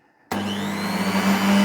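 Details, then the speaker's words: Double-insulated Luminina (Aldi brand) mixer of unknown age on its speed control: spins up instantly to a smooth, steady hum with an even whir and no rattles or grinding; healthy motor. "Let's see if we have any speed. Well, surprisingly, that actually sounded all right."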